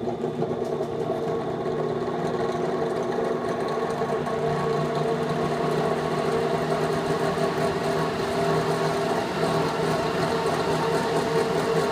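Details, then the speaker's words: VenTech IF8 inline duct fan at full rated speed after about three weeks of use: steady drone with a rough buzzing whir not present when new; bearings suspected failing. "so anyway it didn't sound like that when I first installed it sounds like the bearings are going"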